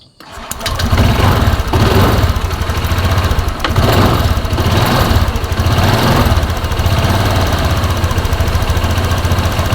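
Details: Honda Vario scooter that hesitated on throttle, after the fuel system was checked from the air filter to the throttle body and reassembled. Cranks briefly, catches at once and settles into a steady, even idle with no stumble or misfire.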